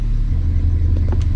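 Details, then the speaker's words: 2012 Audi Q7 just after an oil service, idling in drive; steady, even low rumble with no surging, misses or knocks, and the slight steering wheel shake felt before the oil change is gone. "now i have to go home so i'm very happy it's so smooth ready for holiday now"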